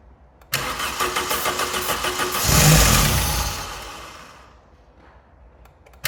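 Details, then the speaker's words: Neglected Vauxhall Calibra being revived after confirmed spark: cranks, catches and revs once, then stalls within two seconds as if fuel-starved; owner assumes the fuel pump isn't working. "I'm going to assume that the fuel pump isn't working but we'll see if it starts again in a second"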